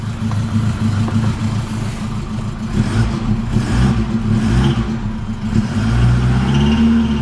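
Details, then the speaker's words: Car not started for three weeks idles and blips with an uneven, lumpy thump instead of a smooth beat; rough running after sitting, cause unclear. "so it starts it hasn't I haven't started this in like three weeks now it's a bit thumpy I don't can see that you can probably hear it"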